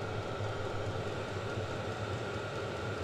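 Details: Vevor 5 kW diesel parking heater on kerosene and a 12 V battery, under 5 minutes running. Exhaust pipe reading 36, very hot output. Steady even roar, low rumble, no surging or popping. Normal running.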